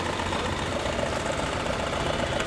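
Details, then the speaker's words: Maruti Suzuki WagonR K-series with check engine light on and a severe misfire (one cylinder dead), idling: a quick, light knock on top from a loose 14 mm engine mount nut. "एक sound भी आ रहा है इस mounting का जो नट है वह loose है देखिए य साउंड आ रहा है ना"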